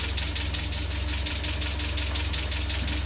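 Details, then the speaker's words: Land Rover Series 3 first start in months after head gasket replacement, ignition timing set by ear: steady idle with a light uneven clatter; owner suspects valve clatter or lack of oil, not confirmed. "Bit clattery. Where's that clatter coming from? What's that, valve clatter? Not enough oil?"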